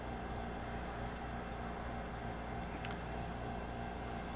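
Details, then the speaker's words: JVR chamber vacuum sealer, lid dropped and pulling vacuum: steady, low, even hum under a light hiss, no knocks or rattles; pump running smoothly and quietly. "All you have to do is drop your lid down and it starts pulling a vacuum. And you can hear, or not hear, the pump."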